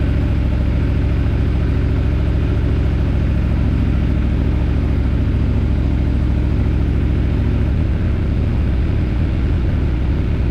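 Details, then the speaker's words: Aprilia Tuono V4 idling after valve clearance service and fresh oil: deep steady smooth idle, no ticking or clatter; initial chain clatter gone once oil pressure built, no check engine light, no starting issues. "was a little bit of uh chain clatter initially but that went away when the oil pressure built up um yeah um no check engine light no no issues starting"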